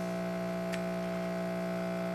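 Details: Electrolux washing machine that makes noise but won't spin: only a steady low electrical hum with no rotation building up; motor stalled because the capacitor's wire connection has failed.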